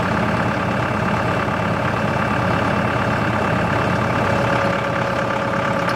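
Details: CountyLine post hole digger on a tractor PTO, first use with the 6-inch auger in very hard clay. Steady engine drone under load with an even drive hum, nothing knocking or grinding. Works fine, though clay clumps fall back into the hole.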